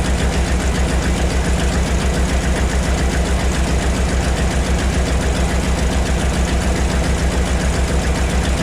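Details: 1975 Ford F750 pipeline truck V8 after a fuel filter change for weak fuel pressure: settles into a smooth, even idle with steady rhythm, no misses or knocks; runs right, slightly better than before.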